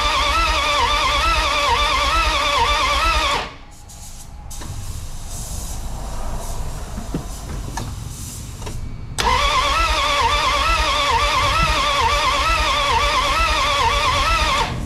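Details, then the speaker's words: 1981 Dodge D150 with belts off and no coolant; the starter was removed, tested and its terminals cleaned, and fuel was poured into the throttle. Two bursts of steady cranking at about three turns a second, never catching: no spark. "I was just trying to see if I could get fire make sure I was getting spark all those kind of things no spark"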